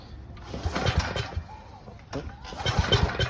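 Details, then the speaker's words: 20-plus-year-old gas generator after cleaning the breather: two recoil pulls spin the engine in quick bursts but it never fires; the fuel valve was shut and the choke was off. "oh hold on let me put the choke on oh i gotta turn your fuel on there you go yeah there you go that might be better"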